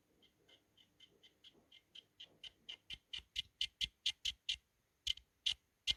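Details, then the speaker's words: PS3 Slim fan fitted to a PS4 Pro: crisp high ticks about twice a second, growing louder as the rotor is pushed down and up; the fan hub is rubbing on its bearing feeder, making it audible constantly. "so this one is maybe a little bit quieter but you still can hear it all the time because it has here feeder"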